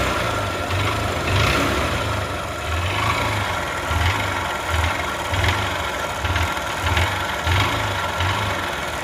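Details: Single-cylinder bike at 16,000 km (meter faulty, earlier repaired) idles with a dull, irregular knocking thump over a rattly top end. Oil is badly blowing past the piston and back into the silencer, pointing to a worn cylinder bore.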